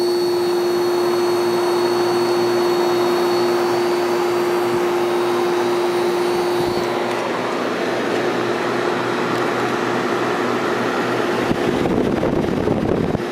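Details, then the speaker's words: 1973 Whirlpool 6,000 BTU air conditioner with Seegar rotary compressor and four-pole 1500 RPM GE fan motor; warm at the base, compressor runs with an even, steady mid-pitched hum and fan rush, no knocking or rattling, normal smooth running. "let's hear the compressor around it should start it's kind of warm down here this is very smooth running"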